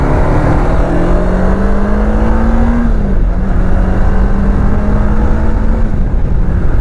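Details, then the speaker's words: 2005 Kawasaki Ninja 500R parallel twin, 22,000 miles, revived after sitting 10 years, first ride: steady rising tone, quick dip at the shift, smooth climb again; healthy engine under acceleration, shifts smoothly. "Yeah, this thing is it's really happy. It's a very happy bike. Very happy. Sounds incredible. For 22,000 miles, this thing sounds amazing."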